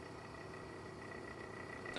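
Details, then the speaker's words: Original small cooling fan powered on bench: quiet steady high hum with faint fluttering rattle, making a casing rattle and resonate when installed; already stripped down and worked on without improvement, so being replaced. "It's not particularly loud, but it's loud when you got it inside a casing and the whole casing starts rattling and resonating with it. So, yep, that's pretty noisy."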